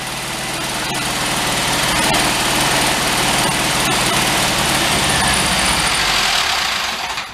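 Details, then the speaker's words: 1973 Karmann Ghia barn find, air-cooled, just revived: rough clattery running with an even deep knock about four per second. Hand-spun, it clanks about twice per rotation, with tapping felt through the distributor. Cause unknown. "I'm not going to start it, but just by spinning it, you can hear the clank and the knock in it. And it seems like it's doing it twice a rotation."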